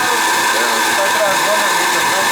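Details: Riello oil burner on a Weil-McLain Ultra boiler with an overhead oil line and running issues. The burner is run without firing, to check oil flow. A steady, even motor and fan whir with pump hum and no flame.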